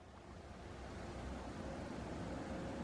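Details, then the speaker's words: Case fan on a newly built desktop PC, run at full speed via fan controller: an even airy rush swelling as it's turned up, smooth with no ticking or rattle; normal fan at full blast. "you want to see how loud it gets full blast yeah pretty pretty high"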